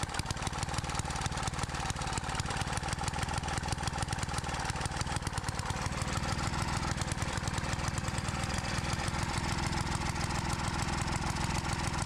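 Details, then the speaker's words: Edger engine found in the trash (previous owner said it burns too much oil; oil overflowed when checked) runs after carb screw adjustment with an uneven, loping beat and wavering pitch; rough running, carb screws likely need more adjusting. "Doesn't sound like it's running the best, but I probably got to mess with some of those screws."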